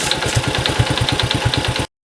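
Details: Cub motorcycle engine with 65,000 km, being checked with a compression test: a small single-cylinder idles with a sharp, high clicking tick on the beat, about six a second, until the engine cuts off. Abnormal ticking noise.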